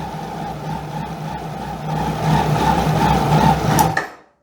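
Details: 2001 Kawasaki Ninja ZX12R, stored for years, first start on fresh fuel: even low hum with a steady mid tone, picking up slightly then cutting off cleanly; engine runs smoothly.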